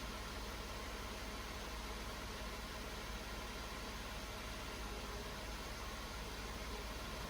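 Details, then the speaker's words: Mercedes W124 idling after a vacuum leak at the headlight leveling knob was fixed: quiet, steady idle with a soft even hum and no hiss or irregular beats; healthy. "There's no longer a vacuum hiss at that leveling knob."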